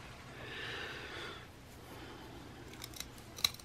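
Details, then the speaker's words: Colt Combat Unit 1911 after muddy swamp torture test: dry gritty scraping for about a second as slide is worked by hand, then sharp clicks; rough grinding action from dirt, cause not confirmed. "then Yancey hear that grinding that was what we got"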